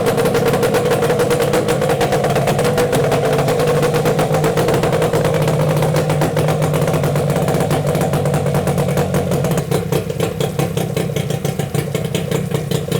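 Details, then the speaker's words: Yamaha 8C two-stroke outboard from Japan with salt-clogged water intake, run on a hose after clearing the intake, gearcase removed: busy, even buzz with steady rapid beat, no misses or knocks; motor stays cold, no overheating. "мотор не перегревается Ну перегрева нет мотор холодный нормально всё"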